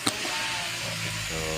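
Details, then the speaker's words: Chery Tiggo 7 Pro that would not start with dashboard dead, after replacing the dead battery (now 12 V): a click, short whirring crank, catches at about 1.3 seconds and settles to an even hum; battery was the problem. "umandar na guys. So ibig sabihin okay na. Baterya ang problema natin guys."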